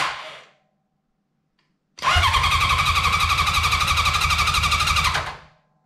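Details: 1983 Honda CB750 sitting at least 10 years, first start attempt: starter whirs with a steady four-per-second chug for about three seconds but never catches; crank, no start.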